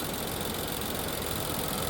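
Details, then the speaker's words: 2020 Infiniti QX60, 95,882 miles, with oil consumption: idle with a slight uneven lope; deactivating cylinder 6 drops it to about 500 RPM, but cylinder 4 shows no real change, confirming its misfire. "And look, it's responding just like cylinder 2, dropping down to about 500 RPM, and it's having a drastic effect. Let's go back to cylinder 4, and there's no real change there."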